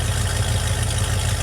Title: project truck warm start pt2 vacuum leak fixed and runs better